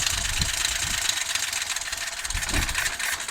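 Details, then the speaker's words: Moto Guzzi engine's first run in over ten years after new carb parts, no throttle fitted yet, smoking from old oil in the bores; fairly even low pulse under heavy hiss; sounds reasonably healthy, normal running. "because I have never heard this engine run before until this moment but it did actually sound quite good actually"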